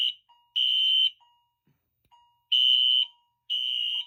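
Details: Fire alarm test after pulling a Game Sentry M46-3 pull station in the hallway outside the room: high shrill tone in half-second blasts with lower chime between, chime heard outside; sounding normally.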